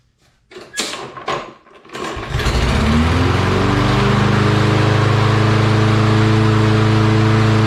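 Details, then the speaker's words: Lawn Boy mower with a Kohler engine, after its carburetor jet was cleaned of rust particles, started without starting fluid: a few pulls, then it catches and settles into a steady, even run at about 3,800 rpm; normal start and run. "All right, so we've got ourselves a running mower here. Happy about that."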